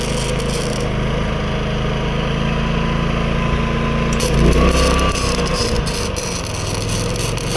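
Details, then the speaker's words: New Predator 11,500 W inverter generator powering a Chinese inverter welder: a steady low drone holds firm, dipping only briefly at the arc strike. The owner notes only the noise level; it runs normally under welding load. "Work pretty good. It's just a noise factor that I'm tripping out on. It goes."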